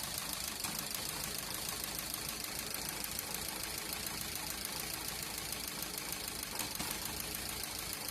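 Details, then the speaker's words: Maruti Swift Dzire with factory-fitted petrol/CNG, smooth on petrol: after switching to CNG it idles unevenly with jerks and stumbles plus a ticking hiss from the four CNG injectors, a misfire on CNG. "CNG में convert हो गई है। और ये झटका भी मारना चालू हो गई।"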